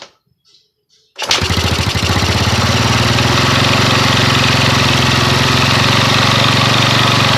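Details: Yamaha Mio scooter after rewiring ignition and regulator (kiprok) with used parts, used carburetor: silent, then fires and settles into a steady, even single-cylinder putter with no misses or knocks; healthy idle.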